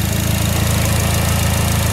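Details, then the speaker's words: Fire GL at idle: quick even light tick over low drone, louder around 2000 rpm per owner; mechanic says it's the hydraulic lifters, harmless, nothing to fix. "I asked him about this ticking too and you can hear it a lot more once you're going about 2000ish RPM he's like no don't worry about that was nothing we can do about it cuz it's all hydraulic hydraulic lifters in it"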